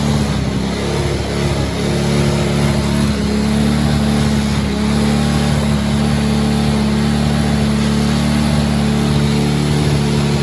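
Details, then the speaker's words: Tao kid-sized Chinese quad, unknown cc, fresh oil, first start after tightening loose starter solenoid nuts: small single idles steadily but a little high. Owner suspects a sticking carburetor needle and seat, not yet checked. "Wow, it runs. So it's idling a little high. So I'll check the carburetor tomorrow because it might be, needle and seat might be sticking."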